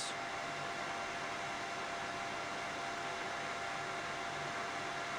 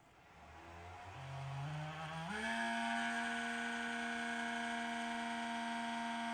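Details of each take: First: Mini heater with replacement fan fitted, on high, power settling around 450 watts: smooth, even airy rush with steady mid-pitched hum, no rattle or wobble; normal fan running. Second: Mini heater bought in December 2021, after four winters of use: at switch-on the fan spins up over two seconds into a loud, steady buzzing whine it shouldn't make; worn fan bearing.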